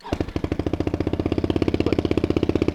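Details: $100 small automatic motorcycle restored for a beginner rider, with about $200 in parts: quick start, then an even stream of exhaust pops about fourteen per second with no misses or knocks, a little loud; normal idle.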